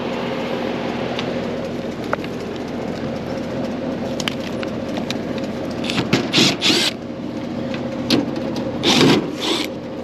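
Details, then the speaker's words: Residential central AC outdoor unit on a no-cooling call: only steady fan whir and low hum with some clicks, compressor never starts; burnt wire lost a power leg at the burnt contactor lug, compressor side of capacitor read 0 µF. "I got a no cooling call here residential house I already been inside turned the unit on uh fan kicks on and the outdoor unit the fan kicks on but there's no compressor"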